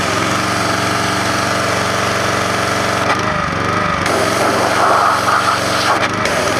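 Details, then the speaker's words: Repaired Troy-Bilt Professional pressure washer running with the sprayer working: steady, even engine drone with a smooth firing beat, no knocks or misses. Normal running. "we'll start it up and check out the sprayer it works perfect check this out what a good deal this was"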